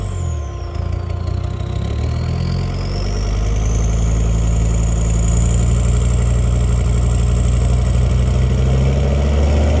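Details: Land Rover Discovery 2 TD5, warm, misfiring at 1250-1750 rpm: uneven, stumbling beat under a steady rumble. Grey smoke suggests a fuelling issue; the oil-fouled injection harness was already replaced.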